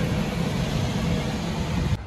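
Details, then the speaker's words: Lennox package rooftop unit after replacing noisy, partially seized blower bearings, panels back on: steady low rumble of air and fan with no knock, squeal or grind; blower running normally after repair. "okay so the unit is running fine now and everything is back on the panel and and everything"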